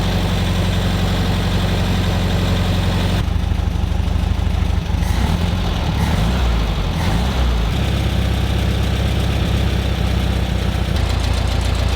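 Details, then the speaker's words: 1971 VW Beetle Karmann Ghia convertible after a carburettor clean, with a fuel shut-off valve fitted, the automatic choke wire on and a vacuum line blocked. The air-cooled flat-four idles with an uneven, lumpy beat and a wavering low throb: rough idle, still not right, cause not yet found. "put the air filter on, we'll try that round the block. Right. Not better, it's not right."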